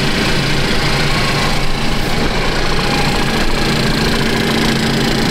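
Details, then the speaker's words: 2015 Cadillac ATS 2.5L RWD direct-injection engine, a junkyard replacement, first start and warming up: an even idle hum with light, quick injector ticking and no abnormal knock; runs smoothly. "You can hear all the injectors, so if it's picking up some abnormal, ticking sounds. That's all I hear. I hear the injectors. The engine seems to run really smooth."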